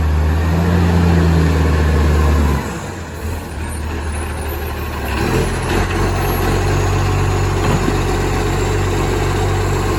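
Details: Garbage truck #11487, 22 m with a flat-faced Acco cab, recorded from the exhaust side: heavy diesel drone, then a deep raw roar and chuff as it pulls away. Massive exhaust leak, insanely loud in person.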